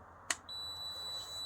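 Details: 1965 Allstate motorcycle, points checked with an ohmmeter in continuity mode before first start in years: a click, then a steady high beep; ignition points closing properly.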